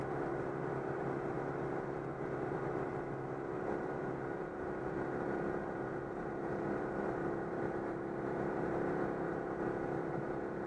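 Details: Citroën 2CV after repair of an air leak in the fuel hose ahead of the fuel pump, holding 90 km/h on the motorway: steady, even drone with no stumbling, surging or cutting out; now runs normally.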